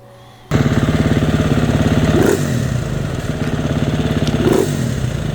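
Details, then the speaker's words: Single-cylinder fuel-injected dirt bike that stalled on rides, after removing JD Tuner, new injector and spark plug boot: catches, steady thump, revs rise cleanly on two throttle blips and drop back without dying; normal throttle response. "So before it would die whenever I blipped the throttle like that. So that problem's fixed."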